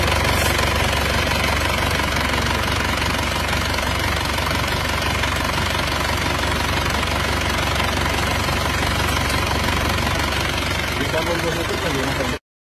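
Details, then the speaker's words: Isuzu Panther diesel that ran out of coolant near the water pump, leaving scored liners and pistons and heavy oil leaks (3 L used in 100 km): steady idle with loud, rough chuffing and uneven knock-like pulsing from severe blow-by. "Ngobosnya ngobos parah dan ulinya juga bocor-bocor dikarenakan pernah gabisan air di sekitaran waterpomp sehingga mesinnya menjadi langsung ngobos seperti ini, Teman-teman."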